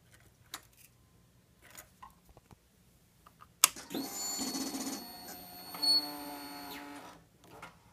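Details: 2001 Suzuki GSX-R1000 that won't start; fuel pump whirs about three seconds with proper voltage, then stops with no starter crank; cause not yet found.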